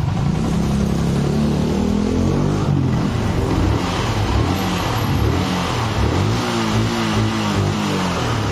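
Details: Yamaha R15 with a no-start and weak compression, after clearing something jamming the valves: it revs up and settles with an even, smooth exhaust note and no knocks or misses. Normal running and revving.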